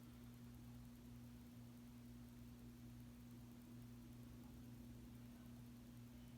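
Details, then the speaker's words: 52-inch oil bronze Harbor Breeze Caratuk River ceiling fan with gazebo light kit, on low speed (a little fast on low): steady low electrical hum with constant drone, no pitch change; motor hums a lot, some vibration issues, not too bad. "As you can tell, this fan hums a lot. This fan's definitely got some vibration issues for sure. It's not too bad though."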